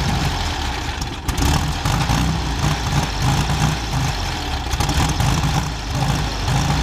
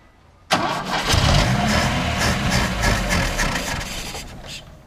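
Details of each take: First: Carbureted Chevrolet Chevette engine, first run after 26 years parked: a low, steady idle with an even, round beat and only slight swells; normal idle. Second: Chevrolet Chevette parked 26 years, fitted with a new battery: the engine cranks, then catches roughly with an uneven, surging beat that fades out on its first start; cranking and rough first start.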